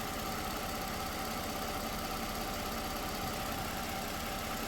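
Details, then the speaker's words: 2009 Toyota RAV4 with P0354 code (cylinder 4 ignition coil) at steady idle: faint uneven low lope from a dead cylinder as the ECM intentionally shuts off that injector, captured on lab scope; scan tool showed no misfire. "So, there you go. It does intentionally shut that injector off."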